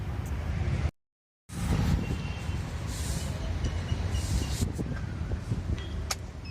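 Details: Engine at steady idle after household powder was applied to the fan belt to stop its squeak: even and smooth, with no belt squeal or chirp.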